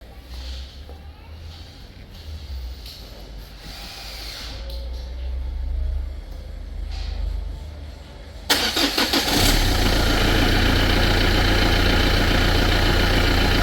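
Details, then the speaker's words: Renault Clio 2 with key turned on before cranking: scattered light ticking from the electro-hydraulic power steering pump motor, then the engine catches and idles; failing power steering pump. "Arkadaşlar, bu ses hidrolik direksiyon pompasından geliyor. Hidrolik direksiyon pompası motoru bölümünden."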